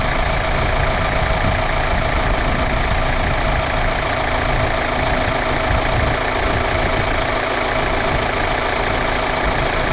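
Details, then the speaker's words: Kia Sorento 2.2 CRDI diesel started after alternator replacement, with power steering pump belt refitted and battery reconnected; fires up and settles into a steady, even idle clatter with no knocks, squeals or misses: normal idle. "alternator power steering pump belt on uh I've dropped it down it's literally done batter's back on so I'm going to fire it up"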